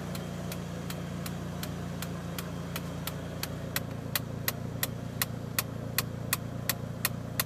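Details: Mitsubishi Lancer Evo 1 at operating temperature as the fan disengages: sharp regular ticking about three per second over a quiet warm idle, growing louder midway.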